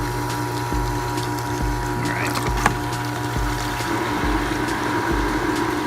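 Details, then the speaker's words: XtremepowerUS above-ground-pool suction cleaner, pump on filter, just after the clogged pump strainer was emptied: a soft click about once a second over a steady pump hum, showing the cleaner is working normally. "Boom! Immediately, you can hear a little clicking noise. There we go. And look at it. You can see it moving already. So, as soon as I did that, it immediately started clicking. You want to hear that clicking noise."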